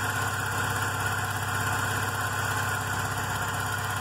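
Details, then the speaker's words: VW Golf Mk3 after an engine rebuild, with the idle actuator (stepper motor) working and the engine not yet warm: a smooth, steady petrol idle with only slight oscillation and no misses, ticks or knocks; normal idle. "fica com a todo ligado você vai perceber muito mais ela oscilou bem pouca coisa mas oscila"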